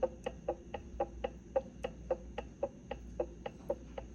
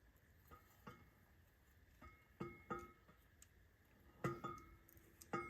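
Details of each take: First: Correct ring and pinion backlash on a Winters quick change rear end being assembled: faint crisp clicks, about four a second, as the ring gear is rocked by hand while the pinion and carrier stay still; lash set by gasket thickness. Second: Quick-change rear end with 9-inch Torino ends for a roadster, carrier turned by hand in the housing before grinding: irregular bright metallic pings as it hits the reinforcement ribs about an inch and a half from the end; fix is grinding the ribs down.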